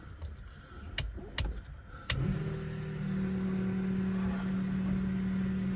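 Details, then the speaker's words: Blown 1957 Chevy Gasser restarted after a rag was found and removed, burning off oil and fingerprints with smoke. A few sharp knocks, then a steady, even idle with a smooth whine on top; sounds healthy and normal. "Sounds good. Sounds [snorts] healthy. Sounds like I should have took it last night."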